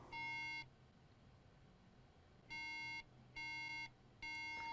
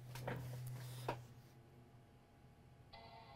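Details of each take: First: MacBook Air that will not power on, with RAM integrated on the motherboard. At power-on, three clear half-second beeps repeat, a RAM fault code (bad chip or cracked solder suspected): three-beep RAM error. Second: MacBook Air with integrated RAM, previously three beeps and no power-on: after reflowing eight RAM chips, handling clicks over low hum, then clear normal startup chime with no error beeps; fixed.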